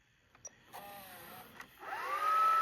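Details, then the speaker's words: Sharp VL-H870 ViewCam Hi8 camcorder, bought with tape transport grinding on eject, after transport repair with a tape loaded: quiet click, then a smooth tone climbing steadily as the reels spin up; normal fast rewind. "Let's forward. Okay, let's rewind. Wow, that actually fixed it. >> Okay, let's fast rewind."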